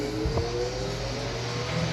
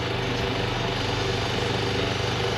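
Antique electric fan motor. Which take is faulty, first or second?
second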